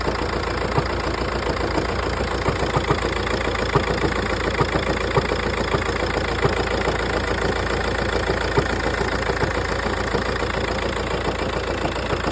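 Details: Audi A3 8P S-line 2.0 TDI diesel idling with a loose, uneven rattle of light knocks about once a second over the steady engine note. Noisy flywheel is suspected, not confirmed.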